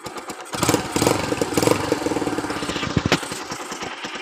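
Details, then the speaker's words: Used Kawasaki Boss 175cc motorcycle (last model) with a new fuel filter and fuel tap: light, even popping idle with some handling clatter around it, no tapping or knocking. Starts easily; the engine sounds quiet and healthy. "ติดง่ายนะครับลองเสียบเครื่องดูครับเงียบมากนะครับ"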